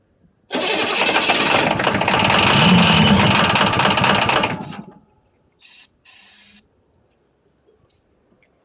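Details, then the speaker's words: 1982 Chevrolet Silverado K10 6.2L diesel, first start after about 22 years sitting: fires and roars briefly on starting fluid then fades and dies, no fuel supply; owner suspects bad fuel pump, unconfirmed. "I'm out of starting fluid. Well, we're going have to figure out a fuel source for this thing and what tanks got any fuel or anything of that matter. I was hoping it'd start pulling fuel out of somewhere, but could be a bad fuel pump."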